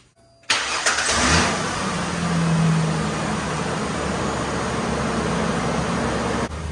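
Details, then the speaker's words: 2002 Ford Ranger 4.0 after new idler pulley and drive belt: engine catches quickly and settles into a steady even idle, belt riding in the ribs, no chirp or squeal; normal start and idle, no belt squeal. "so as you saw everything is riding in the ribs that's what we want and I don't hear any more noise"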